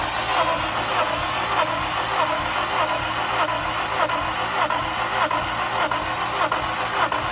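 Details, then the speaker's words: Engine cranking during a compression test; even but sluggish starter chugs about one and a half per second, sounding like it slows; slow cranking, battery suspected, charger added. "do we want to put a battery charger on it though yeah let's throw the charger on it real quick it sound like it was slowing down it did"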